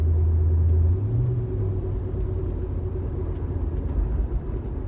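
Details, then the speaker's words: Car while driving, after axle replacement: low road rumble with a slow wub-wub pulsing about three times a second from the rear; rhythmic drone, cause unknown. "there seems to be kind of a wah-wah wah-wah ball ball ball coming out of the back now there I've replaced the axle"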